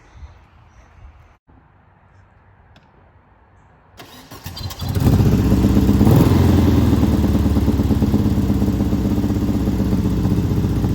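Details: 1970 VW Beetle rail buggy with built 1835cc engine: quiet, then the engine catches and settles into a steady, even beat of about three pulses a second with no misses; a healthy runner.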